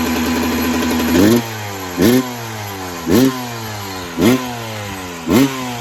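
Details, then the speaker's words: 1996 Yamaha YZ250 two-stroke after carb tune-up, cold day (about 13 degrees), carb at factory stock settings: sharp throttle blips about once a second, revs climbing and dropping cleanly to a crisp idle; normal revving, now sounds much better. "I love the sound of two strokes, I gotta say. So that was going completely factory stock settings in the carb."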